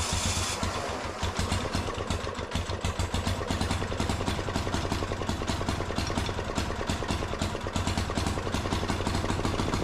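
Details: Steady, even single-cylinder clatter at constant speed, no misses, from a 418cc 186F air-cooled diesel (Yanmar L100 clone) repowering a Gravely C10A walk-behind tractor, just after tuning; engine running normally.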